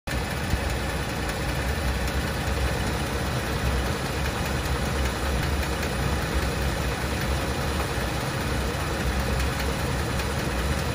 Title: 2017 Tacoma 3.5 Atkinson cycle ticking sound after vacuum pump and high pressure fuel pump replaced